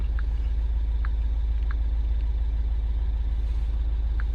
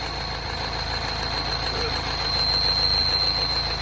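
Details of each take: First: MINI Countryman Cooper S R60 after clearing codes (boost pressure, VANOS intake control) with management light still on and low battery: steady, even low idle with no knock or misfire, faint chirps in background; sounds healthy. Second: R60 Mini Countryman Cooper S, engine light on, just started: idle hunting up and down with a steady high-pitched whistle. Initially blamed on the tensioner; actually air sucked through a torn PCV diaphragm.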